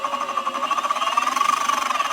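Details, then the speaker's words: Boosted Board 2 electric skateboard, loud enough to hear a block away. Steady motor whine with fast even clicking, about twelve a second, suspected from something caught in the belt. It stops when one side is held; checking the wheel drive and motor gear found nothing. "my uh board makes this like noise like something's caught in the belt perhaps"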